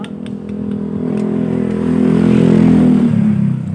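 Engine revs up and back down with a clattery, uneven mechanical rattle riding on the exhaust note; something inside isn't right.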